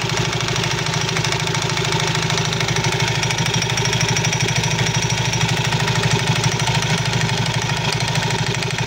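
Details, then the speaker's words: Soul GT 115 scooter idling: a loose uneven clatter of about three knocks a second under the engine beat, from the CVT. Usually caused by looseness or wear in certain CVT parts; cause suspected, to be checked. "suara kelotok-klotok pada bagian CVT sol GT 115 ini biasanya disebabkan dari kelonggaran-kelonggaran sparep ya kelonggarankaausan pada P tertentu"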